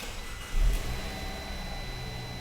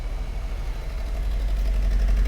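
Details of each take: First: 2012 Fiat 500 four-cylinder after repairing the injector open-circuit wiring behind the P0202/P0302 misfire, check-engine light not yet cleared: quiet, even idle with no stumbles. The misfire is gone and it runs normally. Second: 2012 Fiat 500 at idle with codes for fuel injector 2 circuit open, P0202/P0302: rough, uneven shake from a dead misfire, suspected on cylinder number two.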